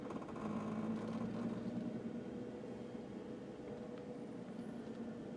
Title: 2010 JK strange vibration noise??